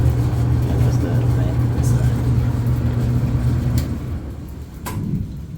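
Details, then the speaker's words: Fairly new outdoor dryer after refitting drum belt that had stopped it spinning: steady even low hum from drum and motor, no thumping or squealing, heating element working; running smoothly after repair. "I'm gonna let it run for a little bit before I turn it off, just to make sure the belt is in place and there's no issues."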